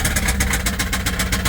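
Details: 1989 Volvo GL wagon, non-turbo B230 red block, driven with zero oil pressure and oil light on: rough low idle with a regular deep knock about six beats a second; spun rod bearing, engine later fails. Rod knock.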